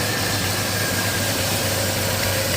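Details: 1987 Chevy S10 2.8 L, reassembled after fixing a stall and no-start: an even, steady idle with a low hum and no misses or stumbles; the engine is running smoothly.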